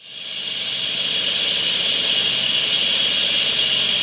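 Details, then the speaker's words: Ruptured abandoned, unmarked buried natural gas line hit by a contractor's backhoe; loud, steady, high rushing hiss of gas escaping under pressure, blowing east. "however you can hear the hissing sound it's directly behind me and they said that the gas that's escaping from that line is blowing towards the east"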